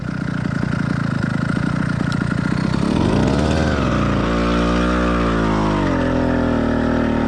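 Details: Two-stroke motorized bike engine at normal operating temperature but not heat soaked: crisp buzzing note rising and falling cleanly with the throttle, no blubbering or misfire; normal warm running.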